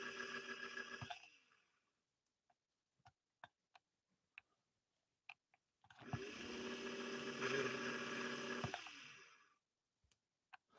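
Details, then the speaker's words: 1961 Singer 401A sewing machine motor at initial evaluation, given a hand assist: it whirs up in short labored bursts at an estimated 40–45% power, up from the 30s, with metal-to-metal rubbing; the motor needs to be removed and torn down. "so i would guesstimate that we're getting about 40 to 45 percent of the motor power right now at that spin up it's gone up from we were probably in the 30s before you can also hear some metal to metal as well"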